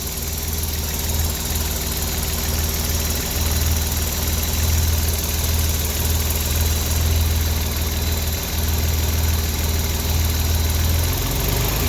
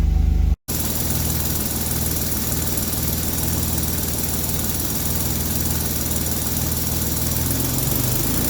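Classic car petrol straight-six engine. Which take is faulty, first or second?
second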